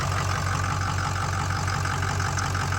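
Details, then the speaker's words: Ford 6.0 Powerstroke diesel with an aggressive tune, after water pump and radiator replacement: deep idle with an uneven, lumpy, choppy pulse. Pressurized coolant cap indicates blown head gaskets. "yeah I'd say those head gaskets are fried no matter what we did pressurized the cap so these gaskets are blown dang who would have thought that could happen"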